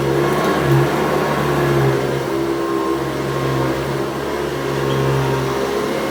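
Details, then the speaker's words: Restored 110 V USA Hoover Convertible U4173 running on deep carpet: steady even motor hum with beater bar thrumming, no rattles or scraping, running healthy. "And it's replaced with the sound of the beat bar hammering the floor. It really is quite good."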